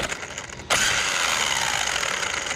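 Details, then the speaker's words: Traxxas Sledge RC truck, stock except 15-tooth pinion: click then a gritty high whirring grind; gear mesh checked fine, motor suspected, source unconfirmed. "We don't know what the hell that noise is. I think it's the motor."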